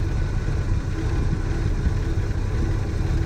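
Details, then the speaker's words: 1966 Chevy II Nova with 250 inline six, during points dwell and timing check (dwell should be 31–34): low idle with uneven, lumpy wavering pulse; rough idle. "so let me fire up the car we'll go ahead and hook this stuff up and we'll see what our dwell is should be 31 to 34 well as you can hear the old girl runs a little"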